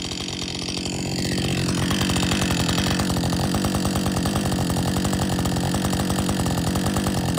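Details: Husqvarna 562XP chainsaw, after the shop reflashed its software for dying when hot and stumbling, warm after a lunch break and refuel: steady, regular popping about three beats a second, holding without stumbling or dying; normal idle, better than it has run in a long time.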